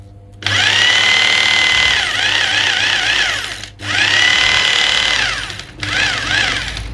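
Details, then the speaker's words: Maktec MT870 rotary hammer drill (two-function switch), tested after repair of weak power and weak hammer blow: steady high-pitched motor whine with even hammering rattle, dipping briefly between trigger pulls; sounds healthy and strong. "ya seperti itu ya dudura bunyinya ya cukup gurih juga di telinga"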